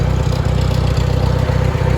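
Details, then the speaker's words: International Harvester 424 utility tractor, 4-cylinder gas engine with oversized carburetor jet (smoking a bit more), idling not yet warm: even, steady low chug with strong consistent firing, no knocks; good oil pressure, runs well. "So you can see here we are idle. Got good oil pressure. It's not up to temp yet,"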